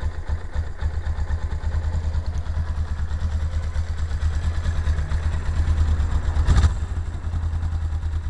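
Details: 1999 Suzuki GS 500E: rapid, regular clatter over low idle, staying prominent through a brief throttle blip; engine noise, cause not clear.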